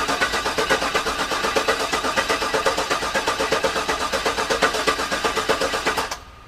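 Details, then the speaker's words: Garage-rebuilt GM LS engine, cranked repeatedly to try to prime the oil pump, which was forgotten before installation: even, unbroken starter cranking that never catches, then stops. No oil pressure, pump not primed. "all right so what's going on is i have not been able to prime the pump no matter how many times i crank the engine over"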